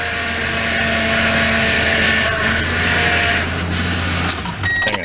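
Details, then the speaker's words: 2004 Toyota Tundra, 215k miles, just fitted with a rebuilt power steering pump while still bleeding air: steady pump whine strains and holds as the wheel is turned lock to lock; steering is working while air bleeds out. "let's go fire it up let's make some noise it's all the way to one lock right back the other side"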